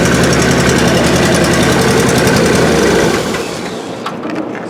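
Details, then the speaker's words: 1979 Rolls-Royce Silver Shadow running after a GM Delco Remy 10SI alternator swap: loud, busy, even quick beat settling after three seconds, no knock or squeal; 13 volts at the battery, so the alternator works. "And I'm getting 13 volts at the battery. So the alternator is working, everything's working."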